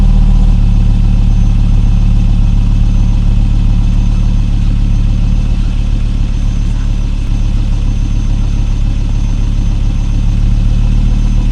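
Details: 2002 Volvo V70 2.4 after replacing centre and rear exhaust boxes and pipe; steady deep idle with even low rumble, no ticking, rattling or blowing from the exhaust; sealed, normal idle.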